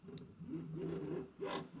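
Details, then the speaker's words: Tronxy/Alfawise X6A 3D printer moving its bed, bearings dry without grease: dry, raspy rubbing swells and fades with each bed stroke, louder than the bearings; Y belt rubbing, its mount likely set too high. "although you can't really hear that much over the belt now with that rubbing"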